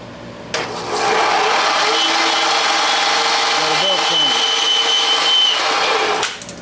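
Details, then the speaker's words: Craftsman belt sander after idler pulley repair and belt tracking adjustment: steady high motor whir with a thin wavering tone on top; something rubbing, possibly touching the small disc, source unconfirmed. "well that's in the middle I don't know why it's making that noise but something's touching the little disc"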